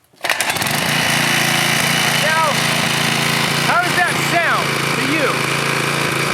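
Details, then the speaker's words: 2002 pressure washer small engine, before tightening loose mounting bolts: steady speed with loose uneven rattle, sounding about to rattle apart. "like a machine well i think it sounds like it's about to rattle apart into a million different pieces"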